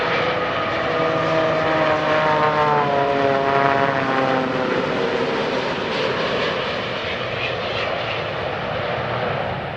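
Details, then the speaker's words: Comparison recording with its emergency ram air turbine deployed: a propeller-like whirring tone dropping in pitch as the jet airliner passes on approach. "Dalam video itu terlihat RAT dikerahkan dan suaranya mirip dengan yang terdengar dalam rekaman ini. Suara turbin kecil tersebut memang menyerupai pesawat baling-baling saat mendekati landasan."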